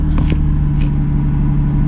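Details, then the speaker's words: Salvage Nissan 350Z, full throttle: steady low drone that never climbs, capped at 1,500 rpm (was 2,000 the day before) in limp mode; owner suspects a sensor, fears clogged catalytic converters. "that is gas pedal look gas pedals on the floor and it's at 1.5 000 rpms yesterday was at 2000. now it's at 1.5 000. the car is in what they call limp mode"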